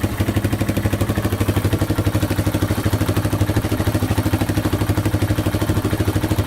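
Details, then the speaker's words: Yamaha Wolverine 350 4x4 ATV (last registered '99) after carburetor cleaning and fresh fuel: steady, even single-cylinder running that now revs out without choke, no stumbling, though it still smokes heavily. "still smoking pretty good but uh revs out without the choke now all right so it definitely runs a lot better with that carb clean um it actually revs out without the choke on now so that is fixed"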